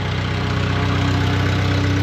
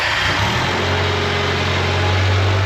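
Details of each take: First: Bobcat skid loader at idle after fresh ignition tune-up: steady low idle with a constant mid-pitched whine from the left hydrostatic drive; owner suspects slop in the linkage prevents setting it to neutral. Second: Bobcat skid loader just after an ignition tune-up and air filter change: steady even idle with a brief rev blip, no misses or knocks, smoother than ever; left-side drive whine still heard, linkage slop suspected.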